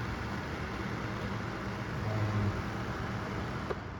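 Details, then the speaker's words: Vornado Flippi V10 personal fan running on high: even, steady whoosh with a low hollow hum and no ticks or rubbing; guard design and hollow plastic housing echo the noise, not super quiet nor loud, like a tower fan; normal running. "it's not um super quiet but it's not really loud either it's just kind of it kind of sounds like a kind of sounds like a tower fan"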